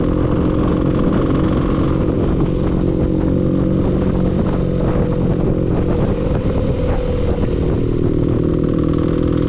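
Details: Clattery engine knock running through the engine note as it revs and settles; cause not yet found.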